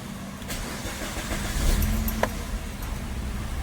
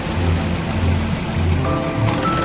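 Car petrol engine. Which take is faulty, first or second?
second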